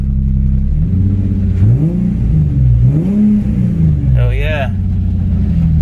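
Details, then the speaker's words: 2008 Nissan 350Z with swapped engine, revving up and back down smoothly with no misfire, stumble or knock after fixing coil packs and connections he thinks were installed incorrectly; ECU code went away; running normally. "um right now it seems to be I don't even pretty good"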